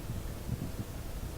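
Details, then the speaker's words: Faint, low, even hiss on an AM radio tuned to 1218 kHz after the power bar feeding the nearby computer and screens is switched off; the strong spurious signal is gone, with only a little left, so there is no radio interference. "I don't hear anything. A little bit there. Nothing like it was though."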